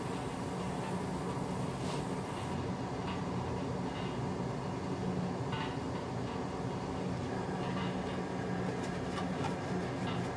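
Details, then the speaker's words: Used replacement oil burner in a basement in Finland, first firing after oil preheating: steady low roar with scattered ticks and sputters; air trapped in the fuel hoses is suspected. "There can be still some air trapped into the fuel hoses. And those sounds are coming from that."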